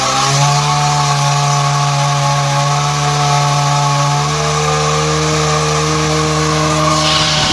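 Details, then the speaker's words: Bajaj Discover 100cc motorcycle run on half a litre of Harpic plus 400 ml petrol: very loud, harsh, raspy running with a rough metallic edge at steady speed; seized piston and damaged bearings, needing a full engine teardown. "Harpic डाले और engine आके पूरा sound आके चालू हो गया, बहुत ज़्यादा साउंड आ गया इंजन में आके। इस तरीके से बहुत ज़्यादा साउंड आ गया बोले तो फुल इंजन ओपन कर लेना पड़ता।"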